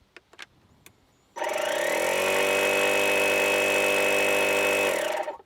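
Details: DeWalt 20V MAX DCC020IB cordless inflator set to its lowest 3 psi setting: the motor spins up to an even, steady hum with faint pulsing for about 3.5 seconds, then winds down. Normal slow-speed run.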